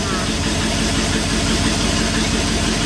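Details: 1959 Ford F100 panel delivery truck V8 after carb air circuit adjustment cured gurgling: fairly steady, even lope at idle with no missing beats; idle sounds smooth and healthy.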